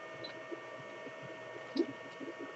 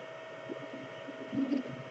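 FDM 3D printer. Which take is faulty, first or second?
second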